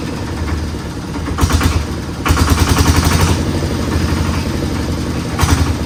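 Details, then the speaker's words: Old Dynapac diesel drum roller/packer, unused for years, cranks, catches and settles into a loud, even single-cylinder thump at idle after tinkering; normal start and idle. "So, after a bit more tinkering on this uh Flintstone mobile, we were able to get it started and and uh to the point where we could move it."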